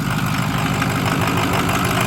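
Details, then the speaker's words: 2006 Ford F350 6.0 Powerstroke diesel, just running again after a crank-no-start with a failed dummy plug O-ring on an updated Teflon-sealed plug: deep steady idle clatter, faintly uneven beat; running slightly rough, owner suspects air in the system. "Back up and running. Running a little rough, but probably air in the system, so I'm just gonna let her idle and warm up and take her for a cruise around the"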